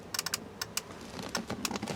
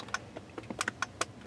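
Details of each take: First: 2006 Ford F-250 with stuck horn pad and repeatedly blown horn fuse: sharp dry clicks in uneven bursts of two or three per second; horn relay chattering, owner suspects short, possibly linked to alarm system. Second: 2006 Ford F250 horn troubleshooting: crisp, irregular relay clicks with each press but no horn sound. The horn had been stuck on and blowing fuses; a shorted horn and bad steering-wheel horn contact pad were the suspected causes.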